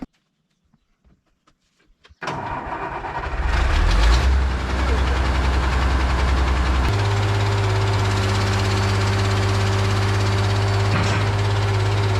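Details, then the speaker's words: Case 170B excavator diesel after hydraulic line, filter and oil work, cranked on a good borrowed battery after the original load-tested abysmal: quiet, a couple of seconds of cranking, then it fires, revs briefly and settles to a steady idle; normal crank and start. "I took a good battery, actually the one out of the 1010, and put it in there. So now I think it's gonna crank."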